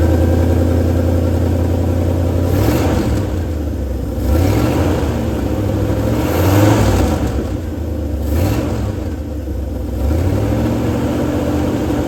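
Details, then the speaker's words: 1971 Ford F250 V8, first drive after 9+ years sitting: idles then revs up and down with a raspy, puffing exhaust edge from an exhaust leak at an already known spot; oil pressure 50-55, charging. "Sounds like it's working to me. We do have an exhaust leak. We already know where it's at."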